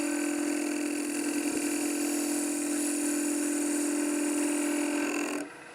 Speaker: If I close it back down, try to make the cut, you hear it, it's banging the bevel.